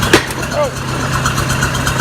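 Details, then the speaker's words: Oliver 550 diesel tractor just after a cold start with a newly installed injector: uneven clatter at idle with unsteady beats. It is running rough; the cause is not yet clear. "She is not wanting to fire up. Oh, shit! Ah. Alright, the driver outside. Still sounds like shit."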